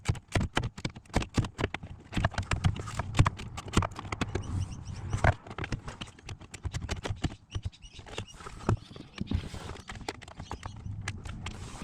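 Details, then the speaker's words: Ford Territory SZ, clicking under driver-side dash traced by stethoscope after knee airbag removal to the driver blend door actuator motor; rapid dry clicks, several per second, drifting in rate, no engine running — stripped actuator gears skipping, actuator to be replaced. "so I found the source of this horrible noise the clicking noise uh after removing the knee ear bag uh using my tusty stetoscope it's coming from the motar this one you can feel the frequency of the noise"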